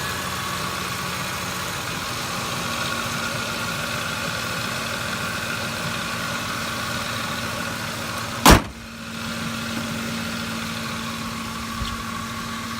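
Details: Ford F150 truck at idle: constant droning whir from front belt drive, caused by bad belt tensioner and a couple of pulleys; quiet after replacement.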